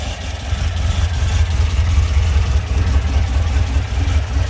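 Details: Classic air-cooled VW Beetle flat-four, freshly rebuilt after 1.5 years (engine and transmission out, axles off), warm and idling low: deep lumpy idle with slight cam rumble, easy rises under throttle; runs smooth and healthy, normal idle.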